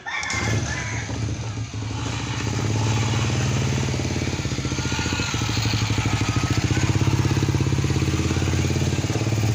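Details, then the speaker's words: Honda Beat scooter after CVT repair: steady, even single-cylinder idle with no jingle or rattle from the belt drive; rattle first blamed on the gearbox was traced to a clutch-lining retaining plate with worn holes. "kemericik sudah hilang ya teman-teman suara kemericiknya itu sudah hilang jadi titik permasalahannya ada di plat e pengancing kampas tadi yang udah oblak lubangnya ya"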